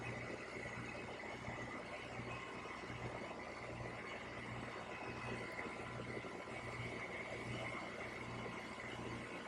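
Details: HVAC condenser after finding weak dual run capacitor (rated 45/7.5 MFD, measured 0/7.3), cooling mode: steady fan rush and low constant hum, compressor now running; no rattles or surging, normal.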